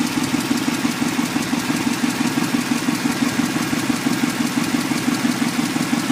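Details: 1994 Chevrolet Impala SS engine at idle: sharp, even ticks at about three per second over a steady idle. Engine ticking, cause unknown.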